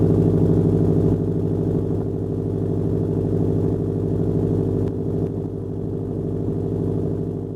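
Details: 2007 Subaru Legacy GT spec.B with a Nameless mid pipe and resonator completing a catback exhaust with muffler delete: deep, steady burbling idle with an even low pulse, no knocks or misses; loud open exhaust, healthy smooth-running engine.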